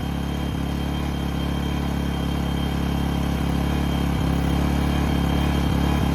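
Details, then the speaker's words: New A-iPower SUA1500i 1500W inverter generator, first run, no load: steady low hum with even fast pulse, no knocks or rattles; idling smoothly. "I'mma I'mma cut it on the economy and see what how it sounds wow hey y'all that thing sound that sound about quiet as my Honda"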